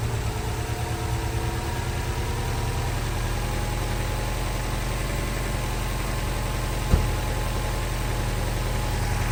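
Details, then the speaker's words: Newly installed engine with blow-off valve, first start, after fixing a small leak at the back of the manifold that caused a high-pitched sound: steady, even idle with a smooth low hum, no hiss or whistle; normal. "much better now she sounds like an engine beautiful"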